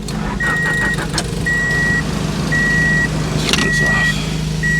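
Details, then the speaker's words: Honda Del Sol after a fuel pump replacement, on the old battery after charging: the starter turns the engine over at a steady even pace under repeated door-chime beeps; the owner isn't sure he hears the fuel pump running. "hey the battery does like turn it over I don't know if I hear any fuel pumpage though"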